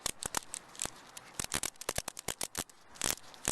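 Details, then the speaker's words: Rear-axle bearing spun by hand after being struck with a hammer gives dry, scratchy clicks and rasps in uneven bursts: a roller was forced into the race, leaving a large chip, bearing ruined. "bearings aren't supposed to make that noise you probably can't see that for [ __ ] basically there's a huge chip out of the bottom race of this bearing which means it's useless and i need a new one"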